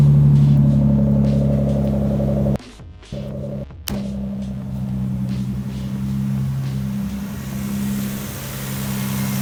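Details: Nissan VQ35DE at first start after a valve cover replacement for oil in the spark plug wells, plus a cleaned throttle body; it previously lagged under pulls. A steady, even idle with a smooth low hum, no misses, and a brief dropout midway. Normal idle.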